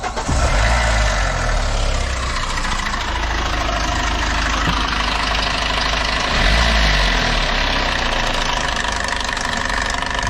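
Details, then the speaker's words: Hyundai H100 CRDi pickup diesel at 215,268 km, idling: loud busy metallic rattle and clatter over the engine beat; timing chain rattle. "H100 kamyonet yine kasa araca zinciri gümbür gümbür vuruyor"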